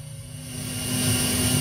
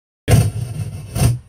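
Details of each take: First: Behringer PMX2000 powered mixer with echo on: steady hiss swells as the tone controls (equalizer) are pushed up, ordinary background noise at high gain; normal mixer hiss. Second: Behringer PMX2000 mixer bought used, channel 3: two loud rough bursts of scratchy noise and boomy rumble from the speakers as its potentiometer crackles; other channels work, pot to be cleaned.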